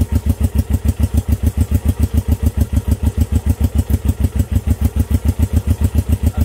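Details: Honda CB350 twin, first start in 13 years after sitting, idling on one cylinder only: slow, heavy, lumpy thumps about three a second; the points on the dead side are not sparking.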